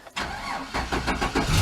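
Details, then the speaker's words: Yard truck in late November, started right after the battery was reconnected, having been disconnected to prevent drain: a brief crank, then it catches at once and settles into an even idle, a clean normal start. "Oh, see, if I wouldn't unhook that battery, it would have drained and it wouldn't have started."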